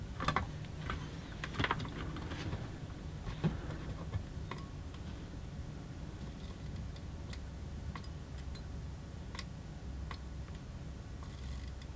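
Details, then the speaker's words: Eaton AFDD (arc fault detection device) test with a heater on at full power: irregular sharp snaps and crackles over a steady low hum from series arcing at the switch contacts, yet the AFDD does not trip. "another thing here though but there was definitely some arcing going on in there the thing is not tripping heaters on at full power"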